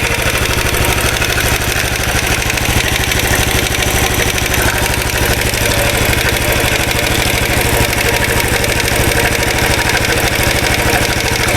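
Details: 2013 Royal Enfield Classic 500 single, reassembled after teardown to remove stray M5x35 bolts: decompressor noise gone, fast steady internal metallic clatter over the idle beat; oil level okay, screwdriver-stethoscope check, owner to inspect tappets and rockers, source not found.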